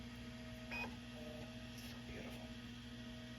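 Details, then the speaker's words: MiniScribe 20MB SCSI stepper-motor hard drive in a Mac SE being formatted, recorded with the dehumidifier off: quiet hum with brief buzzing chirps as the heads step. Healthy, normal stepper seek noise. "now with the dehumidifier off you might be able to hear the drive for once that beautiful sound that you only get from a stepper motor drive hear it"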